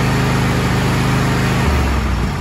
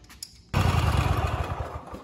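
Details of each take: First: Kohler KT735 (7000 Series) twin on a Cub Cadet SLX50, which was running at half power, running after an ignition coil install. A steady fast beat with slight popping and missing at the top end, likely accumulated unburned fuel clearing. Otherwise healthy. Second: Kohler 7000 series (KT735) twin on a Cub Cadet SLX50 tractor, running at half power; new NGK spark plug fitted did not fix it; lumpy, uneven low thumps with skipped beats; one cylinder misfiring, no spark, failed ignition coil to be replaced.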